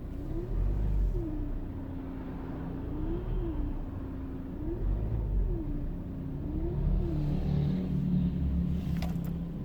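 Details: 2008 facelift Ford Focus 1.8 TDCi diesel idling in winter with a wavering whine that rises and falls about every two seconds. The leaking coolant pump is running dry after the coolant was lost; there was no warning light and no overheating.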